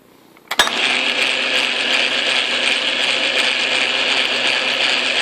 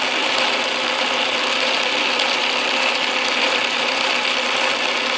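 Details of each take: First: Atlas Craftsman lathe after shimming the tumbler gears, run in neutral, forward and reverse; steady gritty gear whir with faint regular ticking, still grumbly as if meshed without enough play: gear noise from insufficient backlash. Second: Atlas Craftsman lathe carriage feed gears running after shimming the tumbler gear bracket to close up tooth clearance: even busy whir, only faint light rattle, much quieter than before; normal gear train running.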